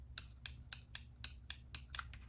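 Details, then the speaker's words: RV travel trailer water pump after diagnosing a faulty microswitch, with the pressure switch reassembled: crisp, even light clicks about four a second over a faint hum; the pressure switch is cycling normally. "Now that we've got the pressure switch back in place, you can hear it."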